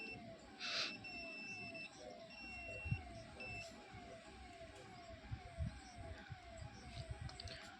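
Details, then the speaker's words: Dead Samsung A156E phone board being probed with a multimeter on continuity: clear high continuous beeps, about three in four seconds, across one capacitor; the capacitor shows a dead short and is suspected as the cause. "यह capacitor जो है यह बिल्कुल shirting नजर आ रहा है तो हो सकता है कि इसी वजह से यह प्रॉब्लम हो"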